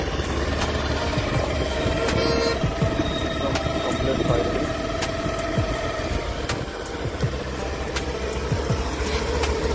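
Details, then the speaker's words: Honda Activa BS6 scooter started after repair and clutch cover refitted: small engine idles with a steady, even low thrum, no knocking or rattling; normal, factory-like running after engine noise fix. "Company जैसा firing आया है।"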